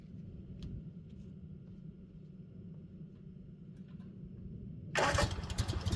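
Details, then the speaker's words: Kawasaki FS600V twin mower engine after installing a new replacement carburetor: quiet low rumble then catches at once to an even steady run; clean normal start. "With a smooth start and a reassuring hum, it's evident that our work has paid off."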